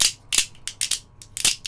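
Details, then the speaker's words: 3D-printed antenna rotator axle turned by hand: dry, uneven scraping clicks in short bursts; the printed bearing fit is too tight, binding with no play, and the model needs editing. "So, this one it turned out to be too tight. Unless I need to just juggle it. Maybe I can take one bearing out. It does actually turn. But now it's there's no play."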